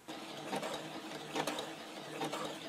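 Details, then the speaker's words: New household sewing machine skipping stitches: fast dry clattering tick with harsh rattly bursts from the hook area, before disassembly; factory setup defect suspected; rough running noise. "звук какой челнок как жоркой не очень звук конечно приятный"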